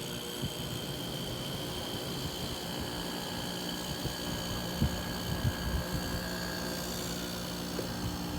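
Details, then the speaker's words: 1988 Carrier window air conditioner out of its case, on low cool, fan started first: Toshiba rotary compressor and GE fan motor give a steady, even hum with low motor drone and faint constant tone, no knocking or rattling; normal running. "all right here it is out of the case here's the toshiba rotary compressor right here and the ge fan motor right there let's turn it on low cool so start my fan first and"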